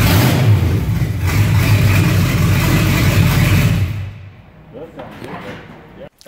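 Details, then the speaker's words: 1982 Chevy K5 truck with the exhaust removed: deep, raw V8 roar with fast low pulses swelling under throttle then dropping off, unmuffled; before new exhaust is fitted. "Just kidding. That's what the truck sounds like with no exhaust on it."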